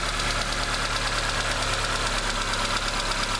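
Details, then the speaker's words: 2007 Fiat Stilo 1.8 8v after replacing the valve lifters and rocker arms: light, quick ticking about three times a second on first start, expected to stop; oil pressure 4 bar, engine not yet warm. "bem pouquinho barulho. Esse barulhinho aí deve parar na sequência."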